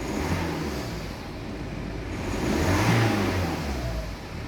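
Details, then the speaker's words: BMW 5 Series diesel after turbo replacement, air box refitted, correct oil added: revs up and settles cleanly with a light turbo whine, no knocking, rattles or rod knock, no warning lights. Normal revving. "but there's nothing else like no warnings that sounds okay"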